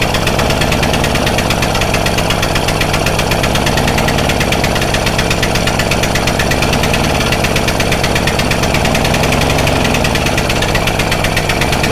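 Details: Stihl Magnum BR800 two-stroke blower at full throttle with choke off, after the high-speed needle is turned in slightly: loud, steady, high-revving scream with no surging or stumbling. A clean, normal full-throttle run.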